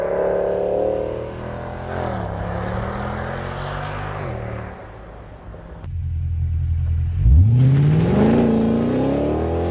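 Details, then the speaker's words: W204 Mercedes C63 AMG V8 with new long-tube headers, sport cats, new mid and rear silencers, recorded outside during revs and an acceleration run: deep booming low drone swelling with rpm from vibrating mid silencer; shop later welded a vibration damper on and refitted stock rear silencers and tips. "what happened in the meantime in the past couple of weeks was that the car was back at the shop and they reinstalled the stock rare silencers with the stock tips and they welded a vibration dampener to the mid silencer so it stopped vibrating and making noises"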